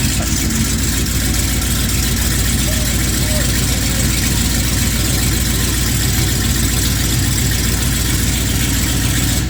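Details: Ford C600 V8 with newly fitted Holley Sniper EFI and HyperSpark distributor, after no-start from distributor 180 degrees out: loud, steady roar holding even through revs with no knocks, misses or stumbles; healthy running.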